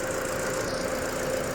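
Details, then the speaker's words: Ford EcoSport at 92,719 km, idling after an AC not-cooling repair with worn parts replaced: a quiet, even idle with a faint hum. Low side reads 30, high side 200, the compressor cycles normally, and vent air is 5°C at 31°C ambient. "ตอนนี้เดินเบาค่ะวัดค่าการทำงานด้านโลอยู่ที่30highอยู่ที่200ค่ะคอมแอร์ตัดคอมทำงานคอมแอร์ตัดต่อปกติค่ะ"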